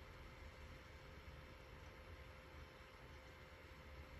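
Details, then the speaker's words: Hikvision recorder with replacement fan, cover off: soft steady whoosh with faint even hum, no rattle or ticking; quieter than original Chinese-made fan, runs constantly but tolerable; normal fan running. "yeah it won't bother me this won't bother me i can work alongside this because i like quiet you know"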